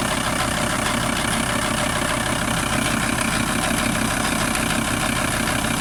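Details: VW T4 TDI 150 diesel at idle: a steady idle with a rough, repeating knock about twice a second running evenly under the clatter; an engine knocking noise whose cause is not confirmed.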